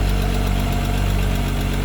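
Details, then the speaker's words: Six-cylinder engine after reassembly, a possibly unseated spark plug wire reseated so it may have been running on five cylinders before: smooth, even low idle with a little smoke, no knocks or misses; now running on all six, normal idle. "quiet running up a little smoke it's okay we're not gonna die but uh that is running on all six sounds better it sounds great"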